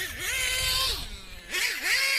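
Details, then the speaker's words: Muggy with R5R Team Edition engine, earlier noise suspected from leaked diff fluid: revs rise and fall unevenly, high buzzing pitch wavering and sagging; engine running rough, tune off, exact cause unconfirmed. "yeah that tune the tune's all messed up something something's going on in there"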